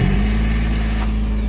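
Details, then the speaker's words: VAZ 2110 started by a newly installed autostart/push-start alarm: the engine catches and settles straight into a steady, even idle with a smooth low hum and no knocks or misses; sounds normal. "Көлік оталды. Көлік оталып тұр."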